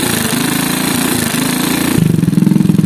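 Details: Motorcycle at idle, new cam chain already fitted but chain still found good: rapid, uneven clattering about three to four beats a second from the cylinder head/cam chain area; traced to oil starvation from oil pump gear.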